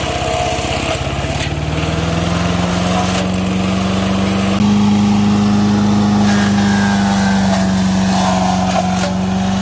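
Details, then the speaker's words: MTD 5 hp chipper/shredder, owner guesses 1990s-built, running after carburetor kit fitted: engine hums steadily, pitch dipping under heavy branch feed and climbing back when feeding is backed off to let rpm recover; engine bogging under load. "once you throw it in there and you feel it bogging down you got to back it off a little bit and let the rpms come back up and then shove some more through"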